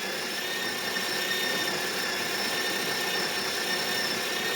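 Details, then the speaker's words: DeLonghi La Specialista grinder after service (burr removed and refitted, likely misaligned before), on the third-finest setting: steady, even whirring grind with a faint high whine and no popping; grinding normally. "as you can see it stopped popping and you can hear it grinding normally"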